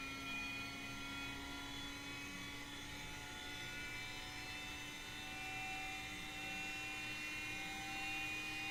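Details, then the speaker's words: Aircraft attitude indicator just powered up: steady high whine of several pure tones over a quiet room hum, the gyro spinning up normally as the off flag clears and the instrument slowly aligns itself to level. "You can probably hear the gyro spinning up, and you'll see that it will slowly align itself to level."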